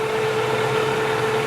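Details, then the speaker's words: LeBlond Makino lathe spindle at 359 rpm: smooth, steady hum with a constant mid-pitched tone, no knocking or grinding; healthy, normal spindle running. "That is on, you can't see this, but it's on 359 rounds per minute, and"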